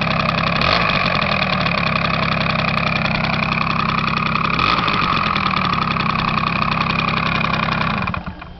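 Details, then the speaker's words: Restored Honda Spree with a new air filter, changed final drive oil and an adjusted fuel sender: the small two-stroke buzzes at a steady, even idle with a light rattly note. Normal idle. "that's how she runs underneath that's it"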